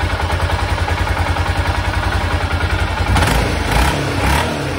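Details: 1996 BMW F650 Funduro after carbs stripped, rebuilt and refitted (cheap kit jets were wrong sizes): steady low thump of the single at idle, then two clean throttle blips rising and falling evenly; runs healthy.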